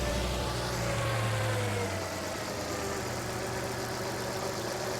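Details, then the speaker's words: 2009 Land Rover LR2, 3.2 I6, 198,000 miles, idling after reassembly with the alternator now turning: smooth, even low hum with no knocks or whine, "purring like an old Swedish kitten". No warning lights, and the suspected alternator issue seems solved. "All right, well, it's purring like a old Swedish kitten, so I think that may have solved our issue."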